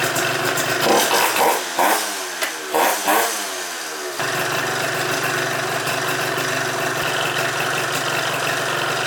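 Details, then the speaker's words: Piaggio Typhoon scooter, first fire-up after carburetor upgrade, cold engine on choke, tune off: sputtering uneven firing then a weak idle barely hanging on; idle speed extremely low, sounds nasty. "And it's just cold. So we'll go ahead and choke it. And let's see what happens, boys. Ryuk's ready for the first fire up too. Idle's low. Sounds nasty. Idle's extremely low."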